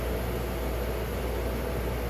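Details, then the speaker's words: Monitor steam injector sent in by a customer for trouble, bench-tested across its operating pressure range while capacity is adjusted: a constant, even rushing hiss with no sputter, surging or breaks; feeding steadily and working normally. "i'm adjusting the capacity and listening for anything weird but so far everything seems okay"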